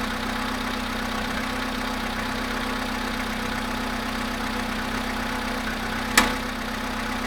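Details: VW Polo sedan cold start at 0.5 °C after sitting 13 hours: steady cold idle with a fine rapid ticking over the engine hum, even and unchanging; engine knock, cause unknown.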